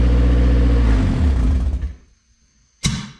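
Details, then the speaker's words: Retro Honda CRX after an engine swap, first start, old gas in it, vacuum leak suspected then ruled out: smooth, even rev winding down cleanly, no knocking and no valve tick; valve adjustment judged fine and the engine sounds healthy. "But we know that the car runs good, sounds healthy. I don't hear any knocking. There's no ticking in the valves, so I don't think the valve adjustment is bad."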